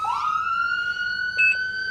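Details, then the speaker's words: 2012 Lifeline emergency vehicle on a Ford chassis, two-tone siren operated from the steering wheel horn ring: loud wail sweeps up quickly then holds a clear, steady high pitch; siren working properly. "Oh, it's got the two-tone siren, so it sounds like an armada of emergency vehicles are coming down the road."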